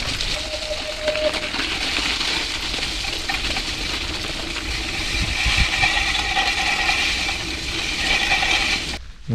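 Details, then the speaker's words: Gravel bike on carbon disc wheels, ridden through melting snow and mud: thin intermittent squeal and scraping under wind and tyre noise; the mud-splattered disc rotor is rubbing the pads. "pourquoi ça fait du bruit ça fait du bruit à cause de ça le disque c éclaboussé dans la boue et résultats voilà c'est la galère"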